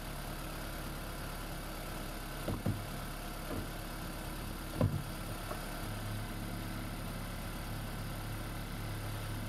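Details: Freshly swapped 2016 4th-gen engine in a 2012 Prius V, just after first start, running in maintenance mode on jack stands before coolant air purge: a quiet, steady low hum with a couple of brief clunks near the start, then a smooth, even normal idle.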